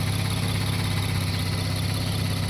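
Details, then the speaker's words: Infiniti Q50/Q60 VR30 idling smooth and even, no rattle or whine, after replacing two idler pulleys and the belt that caused a loud rattle and whine; sounds normal. "sounds normal no"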